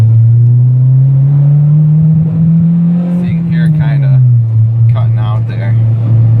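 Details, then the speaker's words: Car after timing set and main relay swapped from another car: engine climbs through a first-gear pull, then stumbles and sags around 5,000 rpm; still cutting out, so not the main relay; owner may try other fuel pump or new TPS. "It's not cutting out completely just yet, but like right around 5 grand is where we're seeing it cut out."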